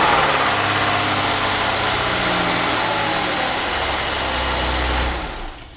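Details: 2001 Ford Escape 3.0L first start after fuel pump replacement, fuse and battery reconnected; smooth, steady engine hum that settles evenly without stumbling, then fades away; engine running normally.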